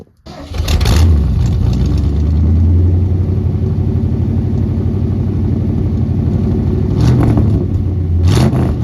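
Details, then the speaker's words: 1975 Ford F-100 V8, revived after sitting abandoned 17 years and now a daily driver, fires up quickly, settles into an even steady idle and revs cleanly near the end; normal healthy start and rev. "all right so you probably like shut up I understand it's a cool truck let's hear it run so that's what we're going to do"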